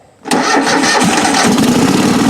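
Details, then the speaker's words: Craftsman riding mower engine (Toro-badged), not run in a while, after adding a little gas: catches at once and settles into an even, steady idle with no misses or knocks. "Come on. I know you want to run. Got a good battery anyway. Ooh, there we go."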